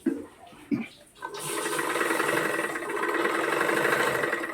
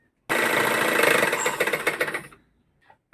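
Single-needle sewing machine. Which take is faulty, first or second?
second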